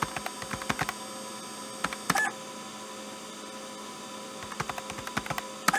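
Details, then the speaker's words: IBM PS/2 hard drive seek sound recreated by an Arduino driving a stepper motor, triggered by the activity LED: bursts of quick dry ticks and chirps over a steady mains hum; works as intended. "I wasn't expecting such an amazing result, this sounds so realistic. If I hadn't told you that this is a fake sound generated by an Arduino, by an Arduino driving a stepper motor, you wouldn't have guessed that."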